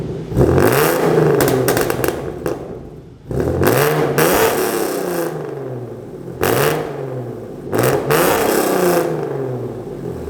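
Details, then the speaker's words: Hyundai Genesis with newly installed headers and H-pipe, free revving: quick revs climb and fall with a buzzy raspy edge near the top; exhaust rasp reduced but not eliminated, owner seeking a fix and planning a tune. "the rasp is not completely gone because it's still raspy and like i said from the beginning of the video it's not gonna eliminate a hundred percent of the wrath"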